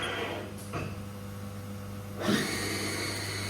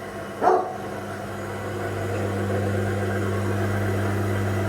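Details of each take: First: Haas VF1 spindle after a gearbox rebuild, run to 3000 rpm: steady whine with belt noise from narrower hand-cut replacement belts, then a clean high/low gear change with no clunks. Gear change is normal. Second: Haas VF1 CNC mill after a spindle gearbox rebuild, low gear around 500–1000 rpm: steady low hum with a faint rough gear growl, unlike a silent VF3; a burred gear in the spindle gearbox.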